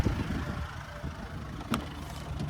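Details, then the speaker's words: 2020 Kia Sorento GT-Line 2.2 L turbo diesel AWD idling, heard under the engine: soft, even diesel tick-over with one brief click, no knocks, rattles or squeals; healthy idle. "Beautiful, so we've got that diesel motor ticking over nicely. You listen to it run, no major knocks, rattles or squeals,"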